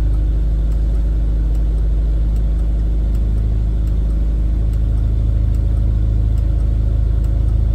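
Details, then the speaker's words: Rover P4 80 at warm idle after fixing a faulty carburettor fuel shut-off solenoid: a steady, even low rumble with no stumbles or pops, and no exhaust backfire on switch-off, so the problem is solved. "okay that sounds a bit warmer now let's see if the backfire is going to turn it off no backfire so problem solved"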